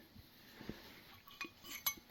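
A few sharp, light metallic clinks spaced irregularly, with a quiet background; this is the ring of a valve that is not yet seated.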